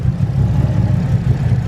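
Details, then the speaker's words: Nissan Skyline R33 on fresh E85 after sitting; slow uneven loping idle at 600 rpm with deep evenly spaced pulses from big cams, otherwise running smooth. Normal lumpy cam idle. "It's running smooth. That's just the cams at that RPM. Wish I could always hear them that good."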